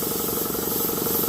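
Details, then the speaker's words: Campbell Hausfeld air compressor revived after water damage locked it up, cleaned, woodruff key replaced: motor pumping with a fast steady pulse under a constant sharp hiss; air leaking at a faulty pressure relief (blowoff) valve. "It's got a It's got a bad blowoff valve. I need to get a new one of those."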